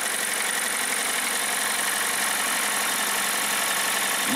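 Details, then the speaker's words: 2016 Hyundai Tucson 2.0 petrol engine, 55,000 km: steady knock about four a second at idle, present both cold and hot and persisting with revs. The speaker likens it to piston slap; the finding is a connecting rod bearing knock. "андрей приехал владелец с жалобой на стук в двигателе"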